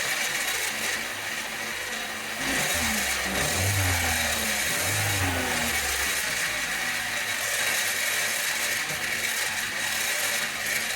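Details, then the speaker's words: Failing turbocharger: engine starts with rising tones, then idles under a loud hissing, rattly rush; turbo not spinning properly, whines when revved, with heavy exhaust smoke from oil getting through; needs replacing. "we hear that noise, that's the fan inside there, and so it's clearly not spinning properly. It works a little bit now, but if you rev it up, you're going to hear it whine again."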